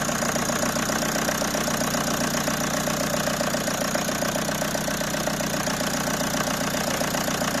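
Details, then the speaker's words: Peugeot 307 2.0 HDi diesel that wouldn't start after sitting a week, started then stalled; battery full, no fault codes. Loud clatter at idle, about 220 beats a minute, slightly uneven; air drawn into fuel system through leaking fuel sensor. "but when the car is stationary for a long time, air gets into the system through the gap in the sensor and the car does not start"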